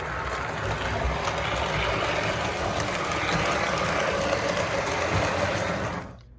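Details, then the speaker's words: First Lionel 736 Berkshire after cleaning, running forward then neutral: steady, even motor whir with light gear hum and no knocks or catches; normal running. "That's the first Berkshire, all cleaned up, ready to go."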